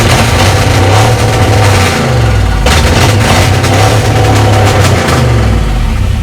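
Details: V8 Mercury Comet first run after sitting 31 years, radiator filled, good oil pressure verified: loud, deep V8 rumble rising and falling with throttle blips, firing steady and even; normal running and revving.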